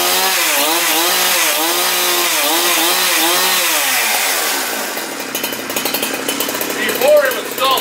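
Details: Husqvarna 372XP chainsaw, which had stalled when warm, started after a Walbro carburetor rebuild with the L screw set at 1 1/4 turns and the carb dry. The two-stroke revs in wavering surges, then settles to a steady idle and keeps running fine.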